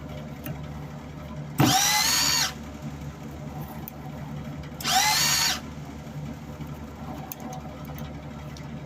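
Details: Wire feed motor of an old MIG welder being modified, tested while swapping feed rollers; two short, even motor whirrs under a second each, smooth pitch with no stutter or slipping: normal wire feed operation.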